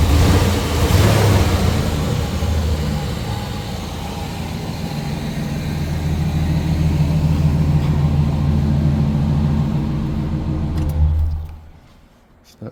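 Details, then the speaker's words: 1996 GMC C1500 4.3L V6, about 363k miles, check-engine torque converter slip code, likely Flowmaster 40 muffler: steady even low rumble with deep exhaust burble, no knocks or misses; healthy idle. "Feels pretty good for a V6. Has a think like a Flow Master 40 on it if I remember right."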